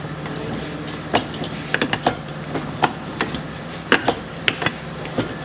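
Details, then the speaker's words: 2005 Chevrolet Niva 4x4 rear driveshaft turned by hand on a lift: sharp irregular clicks and crunching from a worn U-joint, needle bearing protruding from under the dust seal; U-joints to be replaced. "такие вот хрусты щелчки это как раз от нашей крестовины четко слышно четко щелкает"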